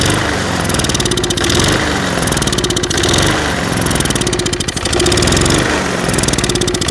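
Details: Lawn mower starts then stalls, kept running on starter fluid: rough, surging small engine; fuel starvation, fixed by cleaning the channel holes in the carburetor float bowl bottom bolt.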